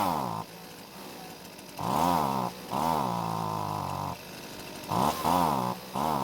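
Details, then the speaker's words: Husqvarna two-stroke blower started without choke: it over-fuels on startup, then short rev bursts on the trigger sag and waver before dropping to a low idle, from fuel starvation. Carb needs inspection and cleaning. "we've got quite the situation with the carb first off it seems like it's giving too much fuel to the engine on Startup but after that it's not able to deliver the correct amount of fuel when squeezing the trigger either all this points to a carb that needs an inspection"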